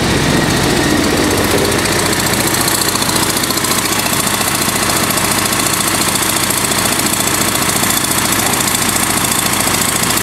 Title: ek first start of engine (bad exhaust leak)